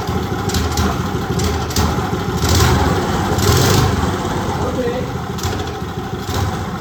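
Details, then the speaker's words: Old Briggs & Stratton engine off a go-kart that sat outside 8+ years, earlier stuck valve with zero compression; carb mixture screw set 1.25 turns out. The single stumbles and lags coming off idle, then pulls strongly once revved. "Not want to come off idle. It's fucking monstrous once it does."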